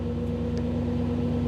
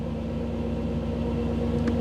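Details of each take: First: 1985 Camaro IROC-Z TPI with new engine build, in neutral with Actron CP9690 OBD-I scan tool plugged in: smooth even idle raised to about 1000–1050 rpm, steady low hum; elevated idle from the scan tool connection. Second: 1985 Camaro IROC-Z TPI, new engine build, cold engine in open loop, oxygen sensor recently replaced: steady, slightly raised idle with an even hum and no misses or knocks, airflow set higher while cold; normal warm-up.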